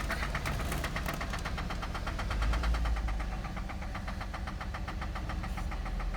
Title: 2008 Cadillac CTS (Engine Knock)